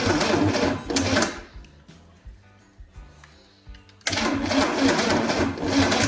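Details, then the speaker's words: 1963 Chevy 230 inline-six, sat about 35 years, first start attempt with added fuel: fast even cranking in bursts with sharp irregular pops, never catching, spitting raw fire and a fireball from exhaust manifold; timing suspected out, firing order to recheck. "It's just spitting raw fire out there now. More fire. It just spit a whole fireball out. I think the timing's out."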